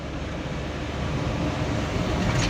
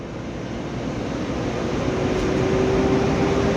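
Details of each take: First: Mitsubishi Fuso Canter Euro 4 SHDX truck on a test drive: steady low diesel drone climbing gently under throttle, without the fan-like droning hum on top; sounds healthy. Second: Mitsubishi Canter Euro 4 SHDX truck on a test drive: steady fan-like droning hum over road noise under throttle, yet the truck still pulls with power; source not yet identified.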